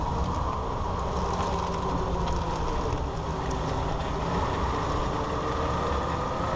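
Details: 2001 Ford Ranger 4x4 driving after rebuilding the front driveshaft CV ball joint: only a smooth, even road and drivetrain hum, with the earlier rattling and clicking gone; the driveshaft sounds normal.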